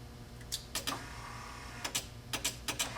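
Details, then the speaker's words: Spare 1955 Chevy truck wiper motor and switch wired through two junkyard relays on the bench: sharp irregular relay clicking in bursts over faint motor hum, owner suspects because the bench power source only delivers 1 amp. "which is why I think it's making them relays click."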